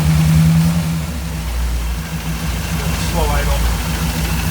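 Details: 1959 Cadillac Coupe DeVille, rebuilt 390 from a '62, Flowmaster exhaust without resonators, cold start at 51 degrees manifold on choke: rough idle with light tick about three per second; a fuel pump rod left loose in the oil filler neck, not the engine.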